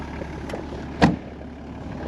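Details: 1993 Toyota Land Cruiser 70 Series HZJ77 diesel with 24-volt starting system, fires on first crank: steady, even low diesel rumble at idle, with one brief thump from handling; normal idle.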